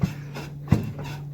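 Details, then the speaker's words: 1991 12-valve Cummins dually with death wobble, wheel rocked by hand: dull low clunks about every 0.7 seconds from play at a loose hub nut; hub likely leaking, owner hopes bearings aren't damaged; new nut fitted. "hear that clump yeah so that's that hub hopefully those bearings aren't smoked"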